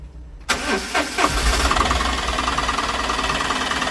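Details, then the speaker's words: Maruti Suzuki Super Carry diesel after engine rebuild, new clutch, gear oil and propeller shaft fitted, air bled from injectors: brief cranking, then catches and settles into steady even clatter at idle; starts cleanly, runs smoothly. "വാഹനം നല്ല smooth ആയിട്ട് run ചെയ്യുന്നു കേട്ടോ"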